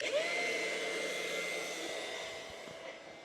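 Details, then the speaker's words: Off-grid water pump switched on to flush a black tank through hose and sprayer: steady thin electric whine that fades as pressure builds; pump running normally, no knocking or grinding. "So, we'll go ahead and get this water pump turned on. See what happens. Turn on right there. You can hear the water going in."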